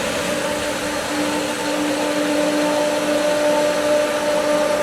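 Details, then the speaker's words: Pool pump with skimmer valves being opened after winterizing: steady electric whine that wavers and churns as air pulls through the suction line; pump struggling to hold prime and should recatch. "It should, it has prime, but there's just so much air now. So it should recatch is the idea."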